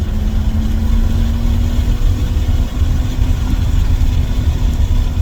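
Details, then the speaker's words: 1994 BMW E36 325is, 2.5-litre inline six, manual, first drive after barn find: deep, loud, open drone climbing steadily under throttle, far too raw for stock because the muffler is blown; shocks also blown. "and even though the shocks are blown and as you're here in a second the muffler is blown so it sounds like it's got an exhaust on it"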